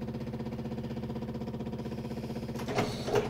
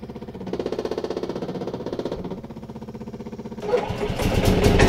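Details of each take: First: Yamaha G29 golf cart with a faulty pedal start switch, cart stopped: noisy fuel pump and a steady rapid chatter about two and a half beats a second as the bad switch keeps triggering the starter. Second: Yamaha G29 golf cart right after fitting a new switch in place of the badly faulty one: engine cranks with a steady chuff about four times a second, then catches and revs up evenly; starts and runs normally.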